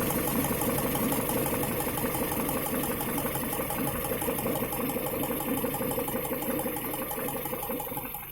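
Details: Engine with an unexplained knock: steady rhythmic knocking, about three per second, over an even idle; source not identified.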